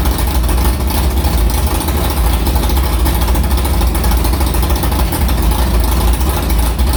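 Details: Carbureted, cammed V8 hot rod after the Prosystems carb's idle air bleeds were changed from .070 to .055 following a track carb issue, ~80°F day; loud, steady, choppy idle with even beat and no misses or stumbles, a normal idle.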